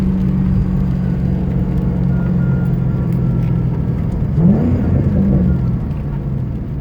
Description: My 2010 GT started making this whining noise not too long ago. At first I thought it was the serpentine belt, or worse the alternator going bust. Turns out it was just the Idler pulley.